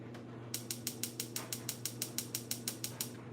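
Sharp, even clicks about three per second over a low hum, the igniter sparking normally while the gas bleeds through.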